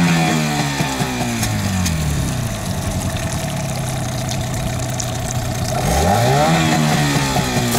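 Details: Yamaha 8 or 15 two-stroke outboard on 92 or 95 petrol: steady buzzy idle rising smoothly with throttle near the end, even firing throughout; healthy running.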